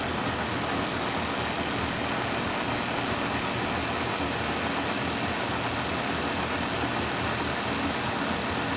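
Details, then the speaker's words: K&T milling machine after flushing the knee with kerosene and filling the gearbox with oil, first run: steady even mechanical hum with no knocks or grinding, much quieter with oil; gearbox running smoothly. "It's good, it's flowing. Alright, so with oil in this thing, it sounds so much quieter to me, which makes sense."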